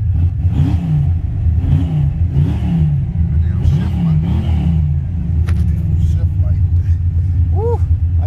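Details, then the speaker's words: Newly bought SS Monte Carlo V8 started in freezing cold weather; it needed a little gas to start and is low on fuel. A deep lumpy rumble with quick revs rising and falling, then settling to a steady lope; healthy when cold. "definitely took a little gas to get it started man it's not used to this cold weather i can already tell that for sure but man this thing is groaning like a mug boy"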